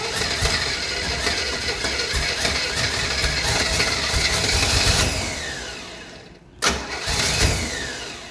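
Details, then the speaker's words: 1968 Chevrolet Camaro, 327 V8, 4-speed; steady cranking about two and a half turns a second, never catching; crank no-start, no fuel in the carburetor bowls. "No fuel in the bowls."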